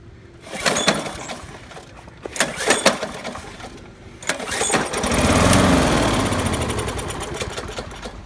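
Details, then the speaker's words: 1995/96 Toro Super Recycler 20353 with 6.0 HP Briggs & Stratton OHV engine, on choke with primer spray: a few pulls catch briefly then a short ragged burst fades; carburetor probably clogged, possibly water in fuel. "And that's about all it gives me. So that tells me this carburetor is probably clogged."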